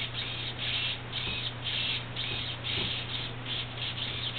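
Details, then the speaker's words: Traxxas T-Maxx steering servo tested on the bench: buzzy high-pitched whir pulsing about twice a second over a low hum, rough and strained; servo motor worn out, works but not fit for use. "sounds like the motor in this row is wasted it does work i wouldn't put it on it's not going on the truck"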